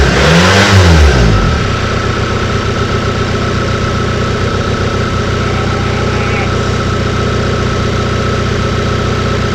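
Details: Bassvan engine, first run after sitting a long time, on new accelerator wiring: loud blaring rev, then a harsh, rough, rattling idle at about four beats a second; abnormal noise, owner suspects engine mounts or sitting dry too long.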